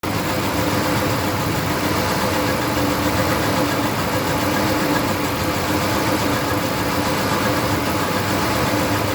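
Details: 2008 Dodge Ram 1500 V8 with rough idle: uneven stumbling pulse of about four beats a second. The only stored code is a multiple-cylinder misfire.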